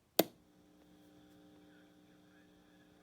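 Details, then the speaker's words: JCPenney SSB radio switched on: a click, then a steady quiet buzzing hum from the old power transformer, which also gives too little transmit power; fix is wiring the radio to an external 12-volt power supply. "can hear a Transformer hum so I want to wire this to an external of 12 volt power supply so we don't have that old Transformer hum"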